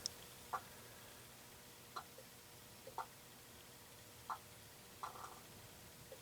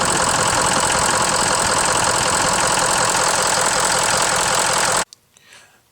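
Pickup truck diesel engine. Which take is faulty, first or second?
first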